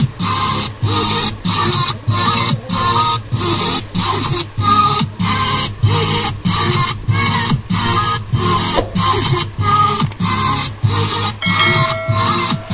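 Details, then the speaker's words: Amplifier built on a 4440 IC: music cuts out in short, regular gaps about every second, then returns. Intermittent audio dropout before repair; cause not yet determined. "तो friend कुछ इसी तरीके से हमारा जो है amplifier का आवाज़ जो है रुक रुक के ए रही है"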